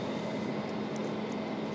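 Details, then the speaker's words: Marunaka blade grinder first run on three-phase from an Onan generator: smooth, even, quiet hum with a steady tone and no knocks or grinding, healthy normal running. "all right let's see if this grinder works lights on that's good oh that is cool oh it's so quiet awesome"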